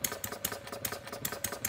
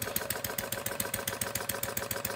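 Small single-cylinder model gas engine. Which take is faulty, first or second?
first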